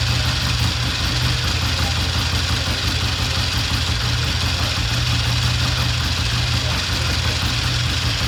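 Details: 1960 Triumph 350cc 3TA twin after valve adjustment (compression now 135), started with a battery connected: a steady, even low thump at idle with no misses or ticking; the engine runs healthy.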